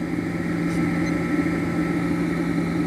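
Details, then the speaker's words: Vintage 1 hp Westinghouse machine tool motor, rated 220 V but test-run on 120 V at 0.7 A with little torque: a steady hum with a faint dry rumble underneath. The bearings sound a little tired; otherwise it is quiet. "Of course, it wouldn't have much torque either, but just for a test run, it's fine like that. Bearings sound like they're a little tired."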